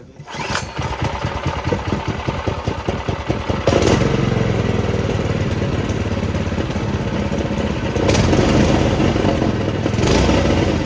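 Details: Doodle Bug mini bike, small engine after swap and centrifugal clutch fitted, first start with a small fuel leak: quick chuffing pulses about four a second catch and settle into a steady, even run; starts and runs fine.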